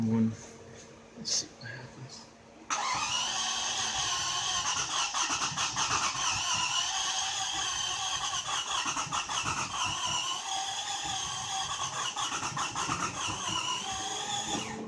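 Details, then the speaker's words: Toyota Camry 1MZ-FE V6, coils pulled, cranking: starter spins unusually fast and light for twelve seconds with no compression pulses and no firing; broken timing belt (possible jumped timing, interference engine questioned). "you can hear it has that same town but just no compression"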